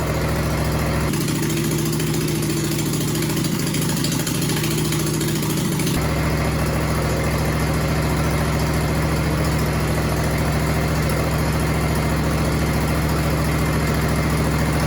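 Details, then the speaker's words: Homemade John Deere/Suzuki outboard hybrid (nicknamed Frankenstein) after fitting the muffler and pipes: steady, even idle with a smooth low drone and hum, much quieter and less raspy than unmuffled; normal running with muffler. "Oh, let's put this muffler on now. And I've got the pipes to do here. Now let's see what it sounds like. Much quieter."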